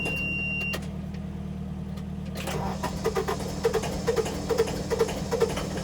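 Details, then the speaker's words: Tractor finally started after three hours of cranking and some ether, being readied to rake a rained-on hay field; steady low diesel thrum with an even, unhurried beat, no misses; normal idle, left running for a bit. "yes i didn't blow it up and i didn't start it on fire so those were the two options that would have been really bad but you never know so we got it going i'm gonna just let it run for a bit"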